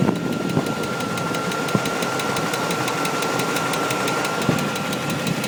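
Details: 1998 Chevrolet Tahoe 5.7 V8 at idle after intake gasket replacement: fast steady ticking knock over the engine note with a thin whine, now with low oil pressure; cause not yet pinned down.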